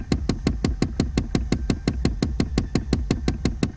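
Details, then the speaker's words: Ram truck dash, when turning the far-right mode knob (feet/head/defrost): rapid, even knocking of several dull taps a second from behind the dash, suspected failing HVAC mode door actuator. "but if you're having a problem with your far right knob to where you're getting a knocking sound like this"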